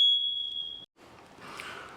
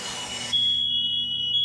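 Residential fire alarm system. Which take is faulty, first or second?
first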